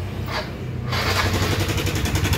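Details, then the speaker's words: Yamaha NMAX scooter, idle after electric start: harsh, gritty metallic rattle over the low engine note, very noisy; mechanic suspects tensioner, cam chain guide or rocker/bearing. "perhatikan mungkin segitu jelas ya untuk suara mesinnya ini sangat berisik sekali rawan sekali takut ngerembet ke yang lain apakah eh maksudnya bisa juga dari lidah apa dari Tensioner atau tonjokan keteng"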